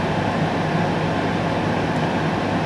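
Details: Cosori Dual Zone air fryer with both drawers running air fry at 200° in sync cook, after preheat. A smooth, constant whooshing hum with a low steady drone and no rattles or scraping; both fans run normally.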